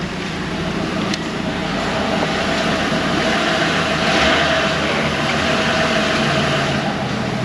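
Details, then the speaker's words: Petrol car idling with a loose, tinny rattle in the steady exhaust hum from the catalytic converter. Engine had a cylinder 7 misfire; check engine light off, codes cleared, suspected water contamination since gone. "the check engine light's not even on presently all right I'm gonna clear the codes and we will I hear the catalytic converter rattling"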